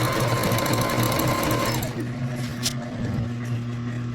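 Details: Singer Rumina 3000 portable digital sewing machine, previously in error and not running, after loosening the tight mechanism and oiling: fast even mechanical clatter with steady low hum, pace changing with speed; runs freely and normally.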